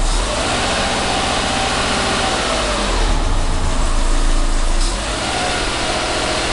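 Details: 2010 Subaru WRX, clutch about 75% down and slowly released at low rpm to pull away: low engine drone with a rough, rhythmic clicking-grinding pulse about four a second as the clutch takes up; cause not confirmed.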